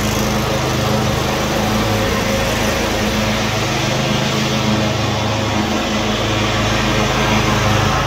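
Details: Cub Cadet RZT-50 zero-turn mower engine after crankshaft seal replacement and new aftermarket carburetor (original freeze-damaged): even steady hum with consistent firing beat, no misses or knocks; running normally.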